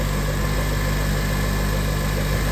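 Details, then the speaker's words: 2006 Acura TSX at idle on a cold day, steady engine note with faint constant power steering whine persisting after replacing inlet/outlet hose O-rings; air in the system, to be bled by turning wheel lock to lock. "But anyway, let's fire it up and see what's good. Alright, so we still got the whining noise."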